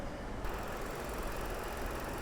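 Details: Copart vehicle with 229,000 miles, dirty engine and swollen battery, idling: steady, even rumble with no knocks, ticks or misses; engine idling normally.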